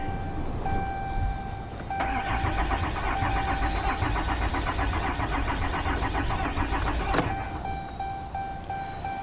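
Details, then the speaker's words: Diesel vehicle at a Copart salvage yard, cranking after loose battery terminals were addressed: steady rhythmic cranking for about five seconds with a warning chime, never catches; fuel gauge below empty, out of diesel, so crank no start. "oh you know what guys it's out of diesel it's out of fuel okay I'll try it one more time but it's not gonna run it's not gonna she is below empty on diesel fuel"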